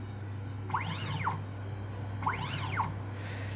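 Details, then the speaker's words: 3D-printer stepper motor driving a sewing machine, one computer-controlled stitch click: two smooth whirring sweeps rising then falling in pitch. Normal acceleration and deceleration; the step count per stitch is not yet tuned. "the sound that we're hearing, the way it sounds like a wave as opposed to an on-off sound. It's going whew. That's acceleration and deceleration,"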